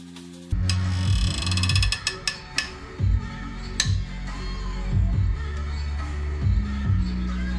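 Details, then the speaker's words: 2009 MINI Cooper S R56 turbo, head reinstall after head gasket failure: loud groaning creaks and sharp squeals as head bolts are torqued over ratchet clicks; bolts not seating in block, bolt holes need recleaning before reassembly. "So, the head bolts are making the sound because they are not meeting the uh block in the correct way. So, pretty much what I have to do is take it all off and reclean the head bolt holes to try to line it up again."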